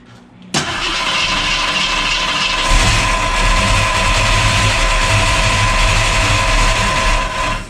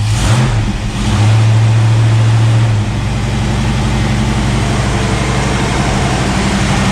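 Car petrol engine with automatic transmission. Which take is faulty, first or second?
first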